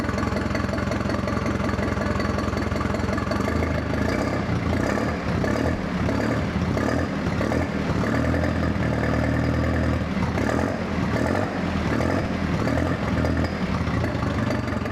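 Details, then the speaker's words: Ford 2000 tractor engine just rebuilt with new piston rings and crankshaft bearings, run briefly on a temporary gas tank with no water pump or radiator: a steady, even engine note with no knocks or ticks. Normal running. "So we put a little gas tank we have on it so that way we could hear it run and make sure everything was working good, and it sounded really good."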